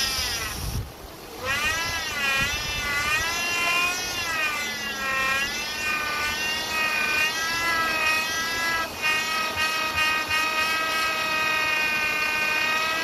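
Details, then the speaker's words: 2008 Chevy Impala, noise persisting after power steering pump replacement: high whine wavering with revs; air bubbles visible in the reservoir fluid, pump sucking air, source suspected on the suction side (front seal or return line). "That noise? Here you go. Look at that. Those are bubbles. See? Alright, that's your noise."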